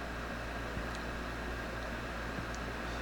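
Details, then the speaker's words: Pride DX-300 on a variac at about 90 V AC, drawing 50 W, HV near 1800 V, after a new Nomad HV board and caps: a steady, even airy whoosh over a low hum, no rattles or scraping. Cooling blower running normally. "So I think I'll go up to 1800 if it let me. I can hear the blower starting."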